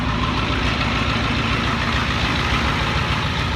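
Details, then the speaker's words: 1984 Ford F250, start after repairing and priming the water fuel separator: smooth, even idle with a steady low rumble and no miss, knock or stumble; starts up fine. "let's see if it starts up you're gonna push the start on this one hey what do you know starts up pretty good"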